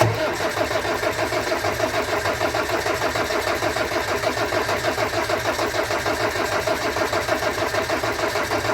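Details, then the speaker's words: Land Rover Discovery 300Tdi diesel, first start after a donor engine swap with a mechanical injection pump, new timing belt, alternator, turbo and valve clearances set. It fires straight away and settles into an even, steady idle clatter with no misses or knocks; the oil pressure light goes out. Healthy idle. "oh pressure light's gone out amazing good that sounds mint as well that sound"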